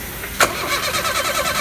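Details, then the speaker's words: Renault with crankshaft position (CKP) sensor fault, coil number 1 removed: the starter cranks the engine at a steady beat but it never catches and there's no spark, as the CKP signal is missing. "vamos a hacer la prueba dándole start para darnos cuenta de que no está tirando chispa en la bobina pero no tira chispas porque será señal del sensor está faltante"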